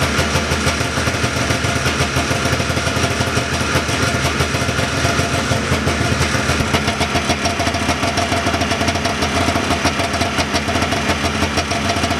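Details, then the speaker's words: 1979 John Deere Cyclone 340 two-stroke snowmobile after carb cleaning: fast, even buzz holding steady without stumbling or misfires, stable idle just a touch high; air box still off. Normal idle. "a simple case of a carb cleaning that's really all she needed to get going again seems like it's idling pretty good"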